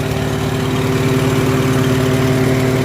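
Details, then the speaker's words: Farmall H tractor engine after tune-up work and a cracked spark plug side electrode pulled out and straightened; low, even idle with steady hum and regular firing, no stumbles, running beautifully. "as soon as I pulled that side wall out and straightened right out running beautifully"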